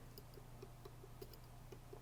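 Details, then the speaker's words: Floyd Rose 1000 tremolo on ESP LTD Arrow 1000 guitar, knife edge repair: faint uneven knocking clicks as a pick tool drags over a burr on the right knife edge where it should glide smoothly. "And as soon as you catch an edge, you know, like right there, I'm catching an edge still at this spot right here."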